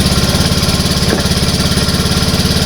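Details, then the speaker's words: Honda Beat ESP injected scooter after fuel pump replacement, kick-started (starter dead), fuel pressure 42 psi: even steady idle putter with no stumble or misfire; old weak fuel pump was the cause of stalling. "Oke jadi ini e motornya sudah hidup dan untuk pekanan pamnya atau prure g-nya itu di angka 42 ya ya itu klihat 42 PSI"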